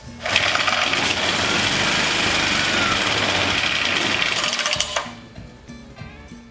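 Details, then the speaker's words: English Suffolk Super Colt small single-cylinder engine, choke being adjusted: fast, even rattle for a few seconds, then it suddenly cuts out and stalls, running longer with more choke; fuel feed suspected, not confirmed. "Started and died. Oh, this is the choke. Let me close the choke. In the screw. See what happens. Oh, it died out. It ran longer that time."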